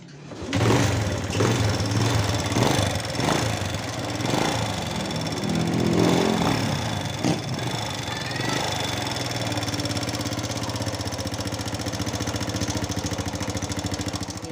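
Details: Honda Wave 100 single-cylinder motorcycle at idle, owner wanted the cam chain replaced: quick light ticking over an uneven idle; loose valve clearance causing tappet clatter, not the cam chain, fixed by adjusting clearance.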